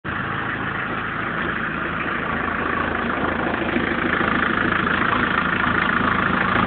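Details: 1994 BMW 318 TDS diesel: steady clatter at idle with a faint regular tick over the knock; abnormal engine noise at idle, cause unclear.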